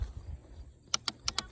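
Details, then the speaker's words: Worn 2008 Kawasaki KLX140 pit bike that won't crank: six sharp, dry clicks about a tenth of a second apart with no cranking; owner suspects a locked-up starter or a bad solenoid, unconfirmed. "is either the starter locked up or the solenoid I'm going to assume that everything else is fine but I could be wrong"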